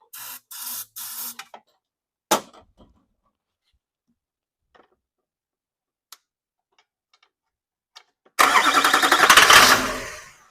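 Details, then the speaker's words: California LB7 Duramax, starter jumped, intercooler disconnected so ether sprayed into the turbo just blew out: short starter bursts, then a fast rough burst that fades without running; cranks on starting fluid but never catches. "I just sprayed ether into the turbo when the intercooler isn't hooked up. So basically, it was just air spitting out there."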